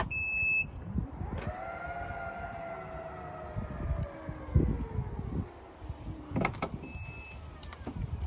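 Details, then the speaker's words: Aftermarket Elite electric tailgate lift kit, just reset after installation: quick beep, then smooth motor whine slowly falling in pitch over about five seconds as the boot lid rises; working normally. "With the soft close, and then I can either push the button on the underside of the boot or with the key fob"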